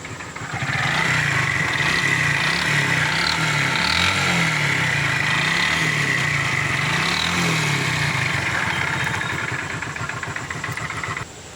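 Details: Hero Super Splendor BS3 motorcycle engine starting and idling with a harsh, fairly regular clatter of three to four knocks a second, sounding as if it would break apart. The engine is to be opened; the knock's source is unconfirmed.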